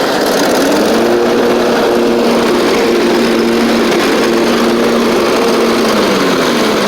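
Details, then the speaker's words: John Deere LA130 Briggs V-twin, about 654 hours, after cylinder head swap for a bad valve guide: takes a second to find idle, typical Briggs V-twin surge, then a smooth steady hum firing on both cylinders with full power; runs normally. "takes a second for it to find its idle there but almost all these Briggs V twins surge at idle just the way that they are but it does like I said run much better runs on both cylinders got full power now"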